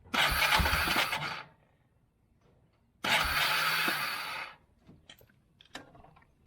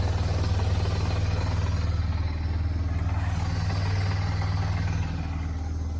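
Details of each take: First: 1999 Yamaha Bear Tracker 250 ATV after fitting a replacement aftermarket carburettor: two short bursts of high-pitched starter whirring with no engine catching; the starter spins freely, indicating a slipping starter clutch. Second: 1999 Yamaha Bear Tracker 250 after aftermarket carburettor replacement, just started, warming up, a little smoky (owner suspects rings); deep, even thumping idle, no misses or hunting: normal idle.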